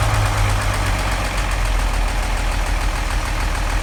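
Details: 1940 Chevy 216 engine at low, rough idle with oil pressure about 5: steady deep knock under the running from worn bearings; engine needs a rebuild.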